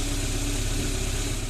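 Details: VAZ 21083 engine at about 217,000 km runs with an even, steady low drone and no metallic knock; the owner heard no extraneous knocks, though a connecting-rod bearing failed.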